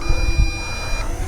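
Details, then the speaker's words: MJX Bugs 3 Mini brushless drone with an attached RunCam, flying outdoors: a thin high buzzing tone over rotor and wind noise, then cuts out, warning that the battery is running out; low battery warning buzzer. "all right so that buzzing you hear is me running out of power"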